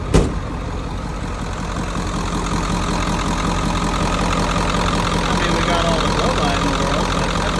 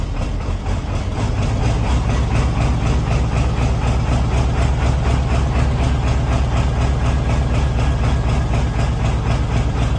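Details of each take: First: 1994.5–97 Ford 7.3 Powerstroke diesel at 300k+ miles, after IPR replacement: even, steady diesel idle clatter with no misses or stumbles. Owner suspects a previously clogged injector, now cleared. Normal idle. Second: 1994.5-97 Ford 7.3L Powerstroke turbo diesel, 300k+ miles, just after injection pressure regulator (IPR) valve replacement, cold start at 62°F: deep rumble with uneven, lumpy idle while air purges from the high-pressure oil system.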